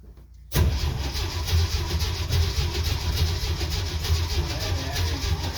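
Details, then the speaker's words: 1969 Jeep Willys CJ5 after sitting about 7 months over winter, previously dead battery recharged: long, labored, rhythmic cranking for seconds without catching; slow cranking, later needed jumper cables. "Okay, so I had a dead battery. Have that charged up now. Hopefully it's still good. But we're gonna try to crank her over, see what happens."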